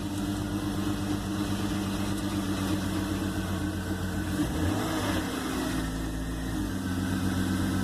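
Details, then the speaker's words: BMW E46 325xi (cold weather package) first start after crankcase ventilation valve replacement and new plugs, cold weather; low idle stumbles and wavers with uneven pulses, misfire suspected from oil in the intake, smoking. "when I first got started even with the new plugs it wanted to misfire so that was weird"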